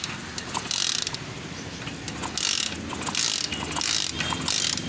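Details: Hero Splendor Plus BS6 motorcycle with wiring complaint, key on: about five ratcheting crank bursts roughly once a second, turning over but never catching; no spark at the plug, checked next with OBD scanner.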